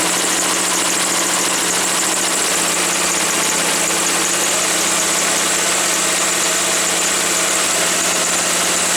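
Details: Woods 6180 zero-turn mower, 18 hp Briggs & Stratton Vanguard, after carb cleaning: steady, even buzzing idle with no misses, surges or knocks once the air filter top was removed; owner suspects a plugged, oil-saturated filter.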